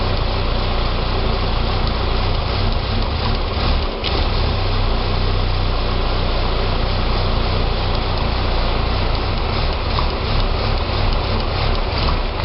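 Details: 2006 Saab 9-3 2.0T four-cylinder after an engine rebuild: an unsteady, lumpy idle with a brief dip around four seconds; it runs great with throttle. Rough idle, possibly vacuum-related, unconfirmed.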